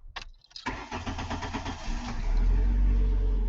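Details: 1999 Ford Escort, restarted after pushing the tripped inertia switch button back down: a short click, a brief crank, then a clean catch settling into an even idle. Normal start.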